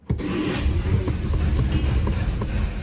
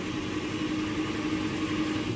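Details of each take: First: 1949 Studebaker Champion inline-six, freshly serviced, idles with a deep uneven throb, running rough on old stale petrol; small exhaust leak at the flapper, still smoking, but all six cylinders firing. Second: 1949 Studebaker Champion inline-six cranking with a steady, even churn and no lopsided beats, after reseating a clip under the number five exhaust valve spring; still running on old fuel.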